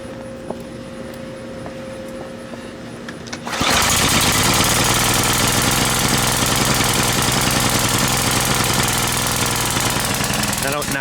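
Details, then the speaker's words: Brute by Briggs and Stratton pressure washer, 550e engine: starts first pull after main jet was drilled out slightly, but runs rough and wet, spraying gasoline out of the carb; rich running, owner thinks he drilled the main jet too far. "does it run but it pretty much starts first pull every time now but the problem that I'm having is if you look very closely you'll see it's just spraying gasoline out of the cars"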